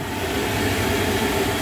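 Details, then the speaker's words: Lochinvar boiler after blower motor and housing replacement (old bearings going bad), flame lit and boiler hot: steady even fan roar with faint constant hum, no grinding or bearing rumble; normal blower operation. "It's just gonna work. That's the way I like it. Yep, she's hot."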